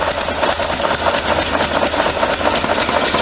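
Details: 1973 VW Super Beetle being tested after exhaust gasket modifications: uneven idle with a sharp puffing tick on every firing pulse. Exhaust leak at the gasket, left side.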